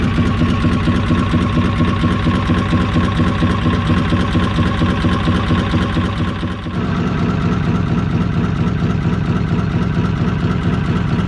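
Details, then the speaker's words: Inboard motor installed in a traditional sailing trailer boat: even, quiet tick-over with a steady beat of roughly two pulses a second and no clatter, a healthy, smooth idle. "this next section is for old farts who relish just to watch engines ticking over quietly and can do that for hours on end"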